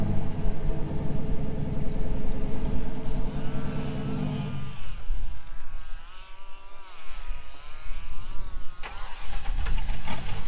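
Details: 2000 GMC Sierra 5.3 V8 with Texas Speed Stage 3 truck cam (.550/.550, 216/220, 112 LSA) on factory tune: lumpy idle sags and dies after a few seconds, starter cranks again; won't stay running in gear. Owner's own tune fixes it.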